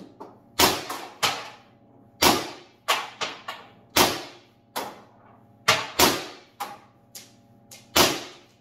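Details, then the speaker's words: First Strike FSC carbine conversion on two CO2 cartridges, regulator four and a half turns from max, stock silver spring, 15-round magazine: sharp separate pops with a quick hiss, a few weaker shots. Normal firing cycle, bolt sticking solved. "well kind of sounds like it's running and i shot all 15."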